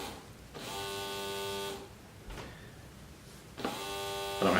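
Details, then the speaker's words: Homemade cheap smoke machine using a vape pen atomizer: only the small air pump buzzes in short stretches and the atomizer gets no power, so there is no smoke. A lead has come undone, probably the positive lead inside. "will you be able to tell that over camera but you can hear only the air pump is getting power so the atomizer is not getting any power at all"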